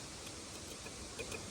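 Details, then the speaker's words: LN65 Hilux with 253 V8, sitting a decade, battery just reconnected before starting: a few faint, sharp, irregular clicks over near-silent background; relays clicking, cause unknown. "Ooh, something's clicking in here. Don't know why there'd be relays clicking."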